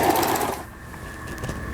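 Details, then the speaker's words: Toyota 164 household sewing machine after repair, all stitch functions including reverse, zigzag and three-step stitch working; quick, even whirr settling to a steady high hum with no catches: normal running, repair successful. "Berbagai fungsi bekerja dengan benar. Perbaikan berhasil."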